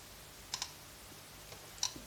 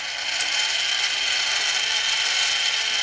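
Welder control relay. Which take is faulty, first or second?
first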